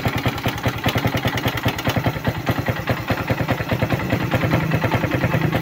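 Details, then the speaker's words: Suzuki Raider 150 at idle, listened to with a stethoscope: loud, regular metallic knocking low in the crankcase, with noise also at the head and piston bore; damage from the engine running dry of oil. "doon sa ilalim sa may crankis maingay So check natin dito sa heit."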